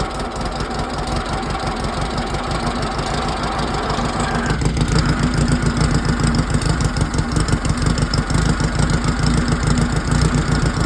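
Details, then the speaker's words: 1968 VW 1600 dual-port engine on a stand, after rocker swap, valve and timing adjustment; fed gas by squirt bottle, wired direct to coil; rough firing at first, then a steady even flat-four beat: normal running. "Oh shit, too much gas. There it is, yes."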